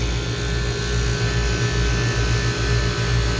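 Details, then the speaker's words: Old Lennox condenser, no-cooling call, after replacing the seized (very tight) fan motor, new motor drawing 0.7 A against a 0.75 A rating: steady, even fan hum with a soft whoosh and no rattle or scrape. "sounds a whole lot better feels good"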